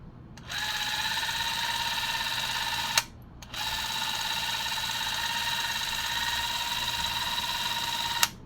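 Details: Spring-wound 8mm vintage movie camera, wound with the key, shutter button held: two steady whirring runs of about two and a half and five seconds, each ending in a crisp click, with an even buzz. Mechanism running normally.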